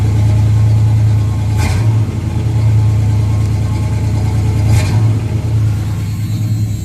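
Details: 1976 Camaro with a rebuilt Holley four-barrel and electric choke, just started: an even, fast idle hum with no misfires, slowly dropping over 2–3 minutes to normal. Owner suspects the choke idle screw is set too high; extra fuel use noted.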